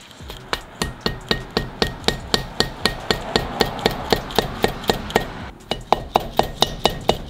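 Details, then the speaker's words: Subaru EJ25 (2005 WRX STi) cylinder head rebuild: steady light metallic mallet taps on a 10 mm socket over the valve stem seal, about four per second, turning to a brighter ring once the seal has seated. "so you can hear when it starts tinging tinging or pinging is when the valve seat is set"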